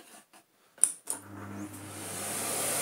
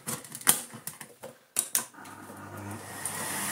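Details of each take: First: 1990s Philips Blue Magic Silence TC739 vacuum cleaner after taping the repaired hose end back on: following handling thumps, the motor spins up to a smooth, rising rush of air with no rattle or grinding; strong suction, normal running, though the LEDs still don't light. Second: 1990s Philips Blue Magic Silence TC739 vacuum cleaner after reassembly with a HEPA-flow bag: the motor settles into a steady, high, airy hiss; air leak at an air hole, owner suspects something was put back wrongly during reassembly.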